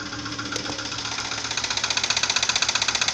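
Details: Audi 80 2.3 engine at idle: sudden, fairly loud sharp regular metallic tapping about four knocks per second, growing slightly louder as it runs; engine knock, cause unknown.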